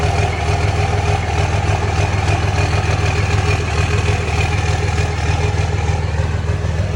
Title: 06 #cummins weird rough idle issue has dtc codes for fan clutch and wastegate solenoid